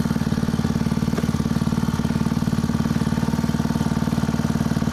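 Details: Honda WX15 water pump single-cylinder engine, unrun for 3 years, choke off while priming; quick, regular putter at steady idle with no stumbles or rattles; running healthy.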